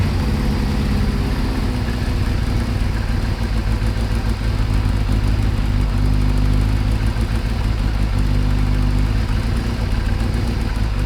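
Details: Kawasaki ZXR750 H1 four-cylinder after carburettor balancing: even, steady idle with a smooth low hum and no hunting or stumbling; tone changed, normal idle, carbs not yet perfect.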